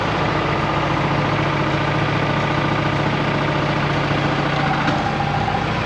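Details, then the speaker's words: 1959 Allis-Chalmers D17 tractor after tune-up and new exhaust, lifting a plow during a hydraulics test: steady even chugging with no knocks, misses or hunting; old engine runs smooth and healthy. "It sounds good. Nice and smooth. I think we should go out and run this around a little bit."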